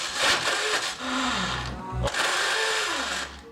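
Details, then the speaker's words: 2004 BMW R1150RT with 34,000 miles: starter whirs up, briefly catches, then spins free with a rising whine in short bursts. The starter bendix engages then disengages and won't stay in mesh. "here where it's engaging and then disengaging bendix not staying engaged"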